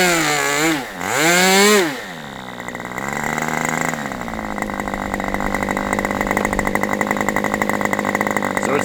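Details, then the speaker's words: Aviastar 46 ABC glow engine after low-speed needle adjustment, low speed now decent: a shrill buzz sweeps up and down, sags on a blip, then settles. Owner says it is not rich, seems lean, or the engine may just dislike quick transitions. "Otherwise, I would just say maybe this engine just doesn't like to transition quickly."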